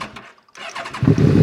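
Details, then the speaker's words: Machine left sitting over a year, started with the choke out and in neutral after the fuel pump cycles: quiet clicks, then it catches within a second and settles into a steady low rumble. Normal start. "There we go. Good. At least this thing's running."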